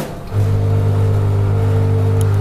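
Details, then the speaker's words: Newly installed Milesto Eliane espresso machine: loud steady low buzzy pump hum while the empty boiler fills; rough sound is normal until the boiler has water. "akan kayak gitu dulu karena boilernya kosong Jadi kalau nanti boilernya kosong atau kehambat apapun suaranya akan jelek kayak tadi kalau udah ada isinya aman"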